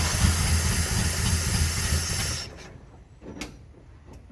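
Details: 1980 C30 dually 350 small block carbureted engine on first start after sitting, running on gas poured in, vacuum advance and PCV valve not hooked up; lumpy, uneven low beat for a couple of seconds then dies: rough running and stalling.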